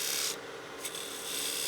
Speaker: I don't know if you can hear that sound but that's too much bevel contact so I need to go a little lighter on the bevel pressure